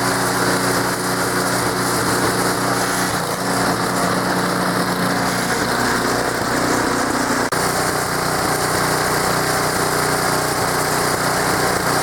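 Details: Small engine equipment in Maine, sat unused all summer, started on choke: steady buzzy run with no stumbling, surging or knocking; runs like a top, no issues.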